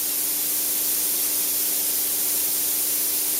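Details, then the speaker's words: Pierro Silver 3 Group espresso machine, one steam arm and one group running continuously under heavy load: steady even hiss with a constant faint tone, no sputtering or surging; gauge unmoved at 0.9 bar, normal. "can still hear the steam still running, the group still running. The gauge has not moved a millimetre."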